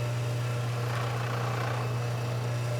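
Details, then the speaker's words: Active 3.0 pressure washer (rated 3 GPM) at first startup after bleeding air from the line, house lights flashed briefly; steady low motor hum, even tone, no knocks or rattles; insanely quiet and healthy. "Now, my lights did flash real quick, but I got to say this thing's insanely quiet."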